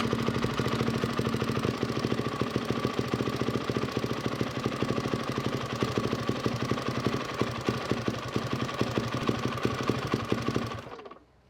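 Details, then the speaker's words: 1999 Yamaha WR400F fitted with a Kawasaki KX450F carburetor, fuel mixture screw wound nearly all the way in: lumpy, uneven idle that sags and misses, then dies away; stumbling idle from over-lean mixture screw setting, right at the limit. "This was stumbling, so I know it was there right on the limit."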